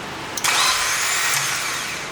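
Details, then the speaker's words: Turbo Mazda Miata project with new crank sprocket and seals: a shrill whirring starter spin for about two seconds, engine not catching. The starter failed, and the old unit was most likely wrong for the car because its bolt holes didn't match. "the starter just fully [ __ ] the bed when I got the starter out is when I realized the starter that came out is most likely wrong since the bolt holes are not in the same location"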